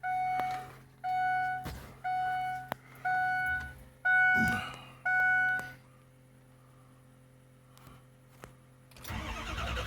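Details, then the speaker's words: 6.0 engine, intermittent starting (sometimes starts, sometimes not): six short cranking bursts about a second apart, starter whine and cranking RPM varying between tries, never catches; crank no start. "Sometimes it starts, sometimes it don't. If you can hear the difference in RPM here turning over."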